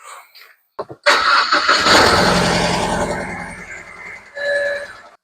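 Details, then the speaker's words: BMW E91 after cam cover crack sealed with Tiger Seal and reassembly: fires up, then runs lumpy and stumbling with heavy shaking, engine light on but not flashing; misfire, owner had wondered about a coil wire. "Right, we are misfiring again. So we've only got an engine light on now, it's not flashing, but you can see the amount it's shaking, it's still misfiring."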